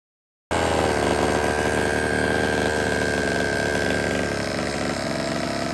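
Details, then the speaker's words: HPI Baja 5B 1/5 scale after repair, second start: small engine holds steady even beat with slight throttle, no hitting or clatter; earlier noise gone, suspected item stuck to magnet under cover. "the second time I started it that noise went away I thought that something was stuck in that cover"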